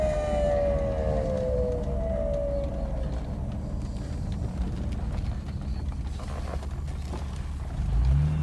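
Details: BMW 635CSi (E24) while driving: steady droning hum with a falling whine early on, tracking road speed not rpm, seeming from the engine area, quieter under load and gone once hot; worn drive shaft center support bearing, fixed by replacement.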